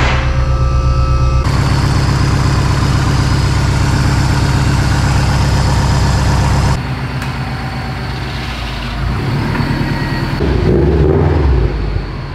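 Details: Modified Subaru STI hatch, just fitted with a new full-face ACT clutch: regular, even low idle pulse with no knocks or ticks, some handling noise later; idles cleanly.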